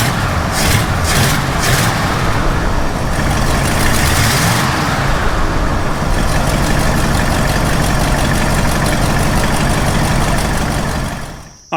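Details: Ford F250 460 V8 after swapping the Holley Street Avenger back to the original Holley/Motorcraft carburetor: starts and settles into a steady, even idle with no misses, knocks or stumbles.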